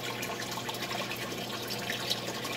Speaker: Well, as you can hear, they're noisy. They splash water around.